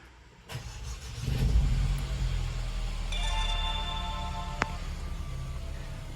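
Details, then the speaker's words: Mercedes-Benz B-Class W246 after auxiliary battery replacement: short crank, then engine fires and settles into a smooth, even idle with a chime in background; normal start, and the auxiliary battery fault code is expected gone. "好，那我们已经把它装回去哈，那我们重新来发动一下哈，看是不是OK。"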